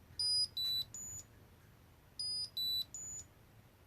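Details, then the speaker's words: Ridgid 18V Octane Bluetooth battery, locate function triggered from app: two bursts of three loud high-pitched beeps at falling then rising pitch, about two seconds apart; battery locator alarm. "you hit the button it'll start making some loud noises that you just heard it's like that"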